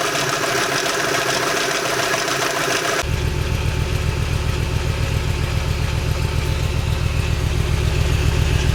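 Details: VW Bora V5 at idle: steady idle with quick even tapping, roughly four per second, over the engine; abnormal engine noise, owner suspects defective timing chain, unconfirmed.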